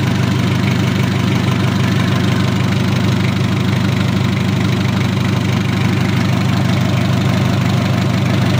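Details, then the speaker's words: Mitsubishi L300 diesel (post-2010) after overhaul with a 12 mm rotor head pump, idle set slightly high, oil pressure 25 psi: steady, even, calm diesel clatter at idle with no odd knocks. Sounds healthy. "oli sudah naik ke atas suaranya anteng adem kemleeteknya juga dapat beda untuk suaranya pakai rotor head 12 mili"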